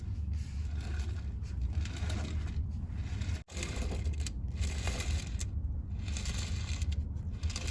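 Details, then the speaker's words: Hand-spinning the front drive wheels in neutral on a transaxle whose drive wheels lock up and stall the engine above 10 mph gives a gritty, uneven rattle and scraping, like ball bearings or broken parts rolling inside; internal damage suspected. "Sounds like there's some ball bearings rolling around in there. Maybe other kind of parts, broken parts."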